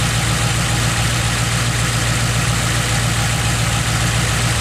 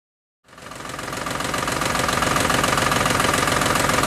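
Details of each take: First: Ford Modular 3V V8 after fixing cam phaser noise with Livernois phaser lockouts: smooth idle, steady low rumble, no knocking or ticking from the top end. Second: Ford Modular 3V V8 at idle: light regular ticking rattle from the top end, suspected worn cam phasers, cause not confirmed; later fixed with Livernois phaser lockouts.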